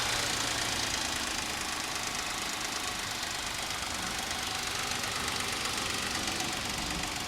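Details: Suzuki Escudo H25A V6 at idle: steady rapid tapping knock about four a second over the engine; owner and mechanics cannot identify what is knocking, teardown suggested.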